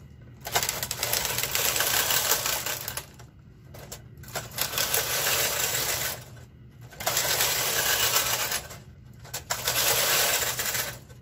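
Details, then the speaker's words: Knitting machine knitting Fair Isle, two colors, MC and KC, doors closed, slowly, after fixing earlier problems (take-up spring suspected, uncertain): carriage passes in even bursts of light clatter, no straining or dragging; running freely. "You can hear how the machine is not laboring."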